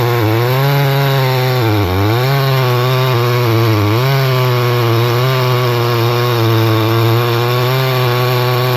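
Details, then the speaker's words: Stihl 011AV chainsaw after several repairs, cold day, high side richened, cutting red oak through knots: steady high buzz sags briefly as chain bites knots then recovers; not powerful but cuts without stalling, running fine under load. "Well, it's not a powerhouse by any means. So there you go. Sellick made it through this red oak, no problem at all."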